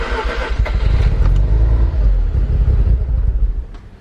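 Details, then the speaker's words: JDM Mazda FC3S Savanna RX-7 rotary on a perfectly cold start after sitting since the day before, battery just reconnected: catches, runs rough and lumpy for a few seconds, then stalls instead of idling; cause unknown. "Really? Why won't it idle? Oh, and it died again."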